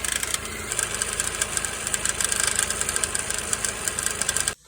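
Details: 2005-2008 Ford Escape / Mazda Tribute 2.3L Duratec idling with a fast, light metallic ticking rattle from the front of the engine; worn belt tensioner bouncing in sync with the noise, and replacing it eliminated the ticking.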